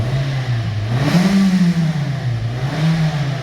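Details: 2007 Kia Sportage 2.0 L after new alternator install, battery light previously flickering on: engine revs smoothly, settles, revs again with clean return and no squeal or knock; battery light now out, running healthy.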